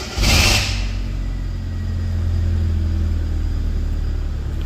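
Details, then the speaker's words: Injector-type 2002 Hyundai Accent that cranked but would not start, with injector circuit codes P0261/P0264/P0267/P0270, started with the fuse fed current externally: short crank, then it catches, flares and settles into a steady even idle. "बिस्मिल्लाह गाड़ी start हो गई ठीक है ज्यादा देर गाड़ी start नहीं रख सकता मैं क्योंकि मैंने फ्यूज को करंट बाहर से दिया है"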